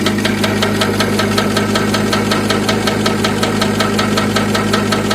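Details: BMW E39, engine idling, rear wheel spinning: steady rhythmic metallic knock that speeds with wheel speed and grows louder when the handbrake is raised; handbrake shoes loose in the rear drum, cable previously cut.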